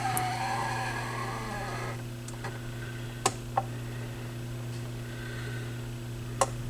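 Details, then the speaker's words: Yamaha YP-B4 turntable during repair, tonearm auto-return cycle, speed too slow, belt being matched: steady low motor hum with a few sharp mechanical clicks as the arm returns; odd return noise, cause not yet found. "so that was the arm returning let's see definitely too slow"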